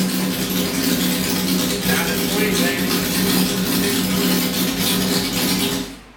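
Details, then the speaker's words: Restored Honda CB750 K0 Sandcast four-cylinder at 5,000 feet, open exhaust and carbs, 130 main jets replacing 112s, needles raised, carbs vacuum-synced, points ignition; strong, even roar with clean revs, no misses or popping after first jetting and sync pass; normal revving. "Sounds good. Happy. So there's the first run through on the jetting and the sync."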